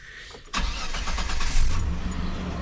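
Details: 2002 Mitsubishi Montero Sport, 136,000 miles, timing belt service done at 127,000 miles: quick crank, catches at once and settles into a smooth, even idle with no ticking or knocking, sounds healthy.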